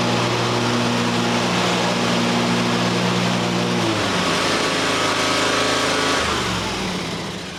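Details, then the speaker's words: John Deere X350 mower after replacing the failed control module: small single-cylinder engine runs at steady even speed, then drops to lower speed and stays smooth; normal running. "Well, everything works now. Got a fresh module in there, but of course, new module,"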